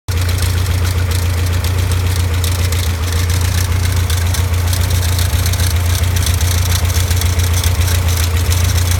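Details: Caterham Super Seven at steady idle: dry, even rattle riding over the engine note from a worn alternator bearing.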